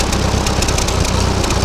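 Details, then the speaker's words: Ferguson TO-20 tractor with 12-volt conversion and new GM three-wire alternator wired with diode/indicator light on key-on circuit: charging properly, steady low idle with quick even chuff, no knocks, idling better than ever. "But it's working, charging, and it sounds like it's idling better than ever now with this. So, that's a win."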